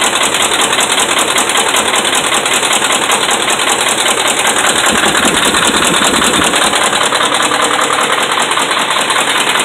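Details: Dodge Ram 5.7 Hemi held at fast idle around 1,600 rpm (kept under 2,000): hard, regular knocking over the engine noise; bad connecting rod and crankshaft main bearings.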